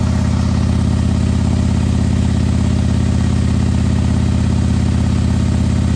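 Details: Custom 2020 Harley-Davidson Road Glide with a 130-inch engine, first start: deep, even V-twin loping idle at about three beats a second, steady and unbroken; healthy idle.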